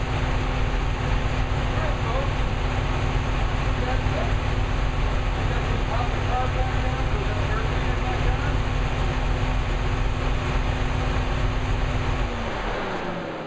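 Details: New V8 with a Lunati 60140 solid cam, warm, after hot solid-lifter lash adjustment from about .010 to .014 intake/exhaust: steady, even idle with only a light, regular tick and no clatter or misses. Lifters correctly set.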